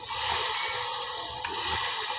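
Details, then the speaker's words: Scooter torque drive after its noisy bearing was dealt with, wheel spun by hand: a steady, even whir with no grinding, clicking or roughness. This is the normal sound of a healthy torque drive bearing. "So ito na po yung maingay kanina na torque drive no. So ito na yung normal na tunog niya no."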